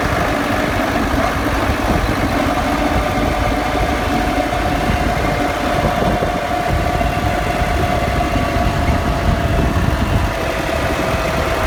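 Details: Defender after a lift: a steady drone with a faint constant whine over an even engine note; the differential is suspected, not confirmed.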